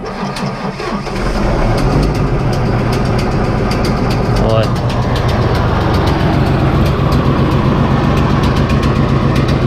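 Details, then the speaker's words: John Deere 8320T, 8.1L diesel: cranks, catches and idles roughly with uneven chuffs and pops back through the intake; a bent pushrod or a valve problem is suspected, with fears of dropping a valve. "but know you can hear it popping back to the intake it acts like it's gonna just afraid if we run it too much you're gonna drop a valve and destroy the whole engine"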